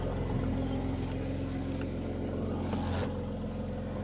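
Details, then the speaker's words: Mercedes AMG C43 at auction yard, apparently off-road damaged, just started: smooth, even low idle exhaust burble with no knocks or misses; normal idle exhaust note. "This thing is absolutely loaded. It sounds wonderful, guys. Let me get out. Let you hear the exhaust."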